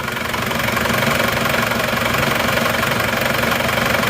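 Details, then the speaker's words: Reference Isuzu Panther diesel from Wonogiri, older but just rebuilt without new pistons, started in the morning: steady idle with even light clatter, smoother and quieter than the rough Madura Panther, even engine shake; normal diesel idle. "suaranya malah jauh lebih halus ini ya lihat walaupun tahun tua suaranya malah lebih senyap"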